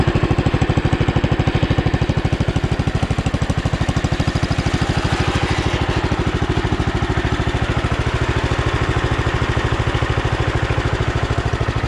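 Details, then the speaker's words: Sears Custom 7 garden tractor, about 1968–70, single-cylinder, throttle slightly open, no choke: worn-sounding starter cranks, then steady even thump at about three beats a second; engine smooth, some pulley bearings slightly noisy. "It's probably gonna be a little noisy here. The starter sounds pretty bad, so."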